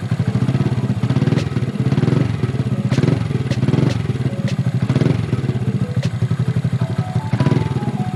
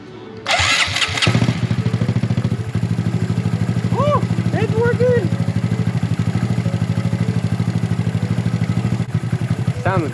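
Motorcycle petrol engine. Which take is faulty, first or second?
second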